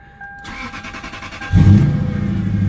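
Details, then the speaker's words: Neglected 2002 Lexus SC430 V8, misfiring with flashing check engine light: brief cranking then heavy, uneven idle with heavy exhaust, vibration and a squeak, seemingly running on about seven cylinders; rough idle with misfire. "you can hear the exhaust heavy there is vibration and a squeak I think just running about seven cylinders"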